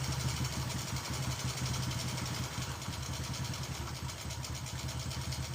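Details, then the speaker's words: Honda Karisma / Supra X125 single-cylinder, body covers off, after valve clearance adjustment: quiet idle with even, regular firing pulses and no top-end tapping; idle now stable and normal. "dia lebih stabil MUI oke ya beres ya ini sudah normal"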